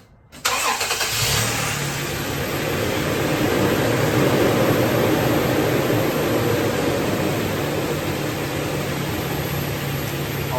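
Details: 2015 Toyota Tacoma just after fuel injector replacement for a slow start; cranks briefly, catches right away and settles into a steady, even idle with no stumble; normal start and idle.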